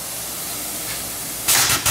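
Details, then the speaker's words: Toyota Supra running lean and lost boost: steady faint background then loud sharp hissing bursts of air near crankcase breather; PCV valve suspected bad, possibly pressurizing the crankcase, not confirmed. "Sounds like a lot of stuff over here is leaking. Holy shit. Maybe the PCB."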